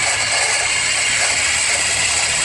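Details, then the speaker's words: Screwdriver held as a stethoscope on the power steering pump pulley of a running engine: a steady, even hiss and whir, normal with no rattle. The rattling noise was traced to the alternator instead. "She's gonna go like this. Put it on the power steering pulley. Doesn't sound that bad."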